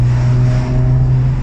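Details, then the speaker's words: 1996 Nissan Skyline R33 after diesel misfuelling, fixed by cleaning spark plugs and replacing the fuel; first drive in six months: deep steady drone under way, pulls cleanly without misfire or stutter; runs healthy. "cleaning of the sparks and replacing of the petrol sounds good rev as well drives well"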